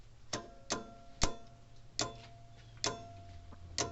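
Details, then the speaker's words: Old Sears mechanical electric fence charger running on battery. Sharp, unevenly spaced clicks about every half second to second as the interrupter drags sluggishly. Owner suspects a worn spring or dirty contacts. "not moving the greatest of like how it should that spring's probably worn a little bit"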